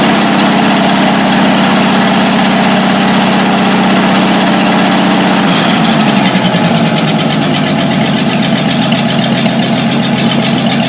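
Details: 1949 Studebaker truck engine after fixing a vacuum leak, idling steadily with an even, low chugging beat and no hiss or stumble: normal idle.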